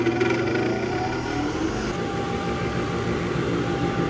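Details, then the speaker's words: Upgraded Harbor Freight Central Machinery dust collector switched on in shop, shop lights dim briefly at startup: rising whirl spinning up, then steady even airflow roar with constant hum; running normally. "But let's get this guy on and I'll quickly walk around. You'll see the lights dim just a little bit when we first turn it on."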